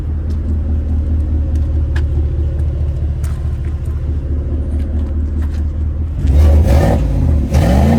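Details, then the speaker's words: Chevrolet Silverado Trail Boss Z71 just after a no-weld bolt-on Flowmaster Super 44 muffler install, U-clamps not yet fitted: deep, even idle rumble then two clean revs, no rattles or leaks, subtle. "Yeah. Sounds good. Sounds real good. Pretty subtle."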